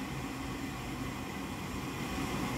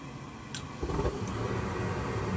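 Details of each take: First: Goodman gas furnace, control board flashing three times (air pressure fault): steady whooshing inducer fan hum with no burner lighting; pressure switch fault, later replaced. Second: Goodman gas furnace after replacing the vent air pressure switch (previously flashing three times for an air pressure fault and not firing): soft whoomp as the burner lights, then a steady, even low rumble with no rattles or puffing; furnace burning normally.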